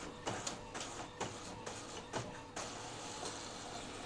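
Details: Epson L15160 printer after timing belt replacement, printing a 10–20 sheet test run: rhythmic whirr and soft clunks as each sheet pulls through, about one per second, with no grinding or catching. Feed sounds normal.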